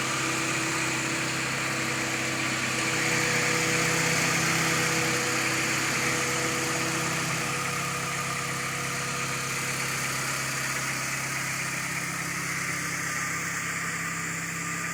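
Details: Honda Accord petrol engine idling: an intermittent, faint medium-high-pitch tick near the gearbox, not tappets, RPM dependent and not noticeable above 3000 rpm; owner wonders about rod bearings or a loose flywheel, unconfirmed.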